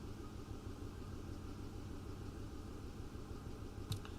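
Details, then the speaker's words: 2008 Ford F-150 5.4L 3-valve, warm idle after new VCT solenoids, plugs and coils: quiet but uneven, shaking idle with a dead miss; power balance shows a cylinder 4 misfire (last cylinder, bank one), O2 sensors reading rich. "this thing has a dead miss I can feel it"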